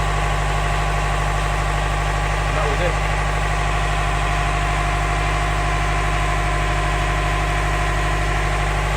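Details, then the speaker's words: Canal widebeam narrowboat diesel at idle after fixing a no-start caused by a blown inline fuse between starter relay and starter solenoid: steady even chug about three beats a second, no misses or knocks; healthy. "Right, I hope you can hear me above the noise of the engine. That's sweet music to my ears after that bit of a mishap."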